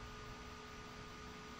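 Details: Original instrument panel cooling fan (OD8025-12HSS) bench-tested on an adjustable power supply at 14.1 volts, drawing about 190 milliamps: soft, steady whir with a faint constant tone, no ticking or rubbing; running smoothly and healthy.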